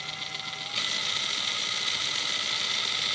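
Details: Traxxas TRX4 RC crawler on bench, driveshafts removed: quick dry ticking about four per second, louder under load; owner feared damaged gears but transmission was dried up, fixed by greasing.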